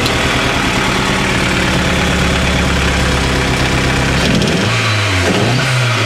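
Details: Nova Turbo misfire: choppy, lumpy idle with missing beats, then a short rev that stays rough and uneven; no clear cause identified.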